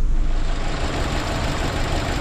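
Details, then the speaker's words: 2006 Holden Viva 1.8 litre, engine light on, codes P0204 cylinder 4 injector circuit and P0300; rough, uneven lumpy idle, unplugging cylinder 4 injector makes no difference; dead-cylinder misfire from faulty injector. "g'day guys we've got a 2006 hold on viva in today 1.8 litre running rough dead misfire engine light on"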